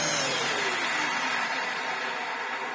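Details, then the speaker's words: Restored Dyson upright vacuum fitted with a new old-stock motor after the original's carbon brushes fused to the armature: a loud, high-pitched motor whine with a gritty edge over the airflow, from the replacement motor's worn bearings. "so I popped it in here and It's got knack of bearings and there's nothing I can do about it."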